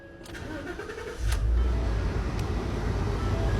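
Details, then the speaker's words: Ford F-150 just after a newly cut remote head key was programmed, with the security light off. Short crank, catches cleanly and settles into a steady even idle. Normal start. "The security light is off. The truck starts."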